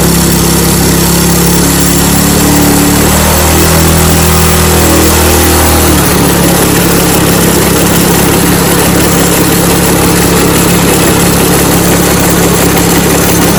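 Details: Snowblower small engine after carburetor cleaning and fuel line reconnection, primed at mid-choke. It fires up and settles into a steady, continuous loud run without stalling or surging. Starts and runs properly after fuel-system repair.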